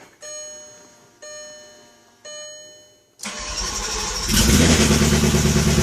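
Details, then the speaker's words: VW W8 after head gasket repair, first cold start after reassembly, only cranked briefly to circulate oil: three chimes, then the engine fires and runs loud and clattery while cam phasers slap until oil pressure builds. A previous W8 ran badly for its first few minutes. "I can hear the uh cam phasers slapping around in there so they're going to they're going to take a little while to build up uh oil pressure"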